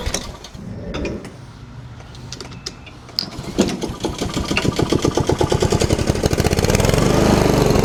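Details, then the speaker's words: Honda lawn mower after new carburetor install, first start: engine coughs and catches after a few pulls, then settles into a steady even beat that builds slightly; runs clean and healthy. "There she runs. I'm going to run her a little bit here just to kind of get it worked in a little bit."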